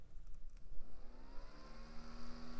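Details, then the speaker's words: Worn, loose fan bearing on the CPU cooler of an AMD K6-2 500 MHz system: a faint whir climbs in pitch, then settles into a rough, uneven drone that worsens while spinning; oiling judged unlikely to help. "yeah not the greatest in fact it's getting worse I don't think oil will help this fan"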